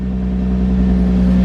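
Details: Infiniti G35 after replacing ignition coils and spark plugs for P0304 cylinder 4 misfire: steady even idle, smooth low hum, no stumbles or skips on all cylinders.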